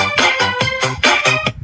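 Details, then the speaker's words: Bluetooth speaker that had distorted sound, after the speaker was replaced (the board was fine): piano chords play clear and full with no rattle, buzz or crackle. "The Bluetooth device is connected successfully. Ang ganda ng tunog ah. Okay na."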